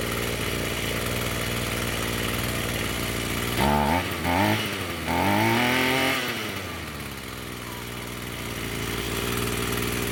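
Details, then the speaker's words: Roadside-found Echo SRM-210 two-stroke string trimmer after replacing the purge bulb and straightening the bent idle screw to raise idle: even buzz holds steady, takes quick throttle blips cleanly and drops back to a smooth idle; runs fine. "I would say that's running pretty good."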